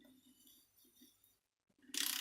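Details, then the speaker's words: Failed Miele S5211 vacuum cleaner motor, removed and clamped in a vise, turned by hand with a socket: faint scraping and clicking, then a short, harsh, gritty grind, after a catastrophic motor failure. "take a socket when I turn it you'll hear grinding"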